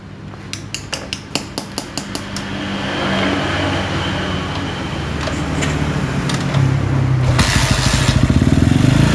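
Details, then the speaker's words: Honda CG motorcycle engine: clattering cranks, catches and revs with buzzy shaky drone; handlebar grip vibrates strongly when held and throttle opened; engine has a problem, cause unknown, crankshaft condition uncertain. "Oke dan ketika ketika kita pegang gostetnya seperti ini ya ini gostetnya akan Kenteng nih Nah bapnya kan kener kemudian kita pegang sambil kita dasas terjadilah dia itu geterja duah"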